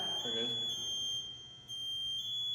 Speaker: so that's saying hey move but if he doesn't move he gets louder and louder until eventually it gets really really loud